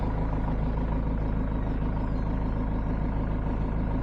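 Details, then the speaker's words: Ford Transit Mk7 2.2 FWD diesel after starter work and MAF, MAP and EGR cleaning: it starts well and settles to an even, steady idle with a regular low beat. The knocking and hesitation are gone; normal idle. "So, to conclude, starts perfect. Knocking noise has gone and the hesitation has also gone."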